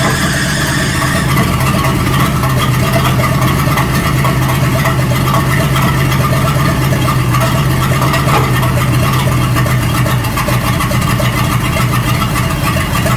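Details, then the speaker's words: 1937 Buick Roadmaster with an apparently rebuilt Stromberg carburetor, after the idle screw and idle mixture screw were set: a steady, even low idle with no hunting or misses. It sounds much better but still needs fine tuning. Normal idle. "That sounds a whole lot better. So we got our idle screw set here, and then I'll turn the idle mixture screw over there, and that seemed to help a little bit."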